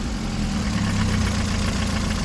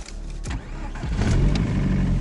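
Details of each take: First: Chinese car with diesel-sounding engine, bought at the bottom of the market suspected of an engine knock: smooth steady idle with an even beat, no audible knock or tick; runs fine, like almost new. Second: Chinese sedan: engine catches after short crank into rough, clattery idle with faint diesel-like rattle; cause unknown.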